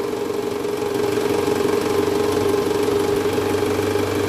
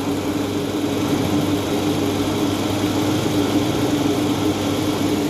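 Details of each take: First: Toyota Alphard, 90,000 km, original parts, cold engine idling with R selected: rough, uneven knocking vibration from the engine area, diagnosed as a worn, loose balancer shaft. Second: Toyota Alphard after balancer shaft replacement, idling in R: smooth, steady hum with no knocking; the rough abnormal noise that appeared as soon as R was selected is gone, confirming the worn balancer shaft.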